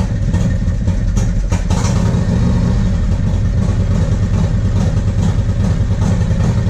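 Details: 1994 Harley-Davidson Road King FLHR, original 80" EVO, Carl's Speed Shop heads, CV40 carb, Screamin Eagle air cleaner and 2:1 exhaust: uneven, lumpy V-twin with stumbles and skipped beats on light throttle, a carburetor fault causing misfire, before the rebuild.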